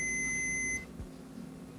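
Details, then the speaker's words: Multimeter in continuity/buzzer mode with probes across a coil's terminals: a steady high beep for under a second indicates continuity, so the coil is most likely good. "Si el zumbador funciona, esto es, si se oye un tono que nos indica que hay continuidad, lo más seguro es que la bobina esté en buen estado."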